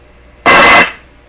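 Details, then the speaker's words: Clairtone console stereo receiver with one dead channel, signal tracing through the amplifier: a sudden loud hissy, buzzy burst from the tracer probe for about a third of a second shows audio signal present in the middle of the amplifier channel. "There's the sound. Sound in the middle here. Oh, jeepers."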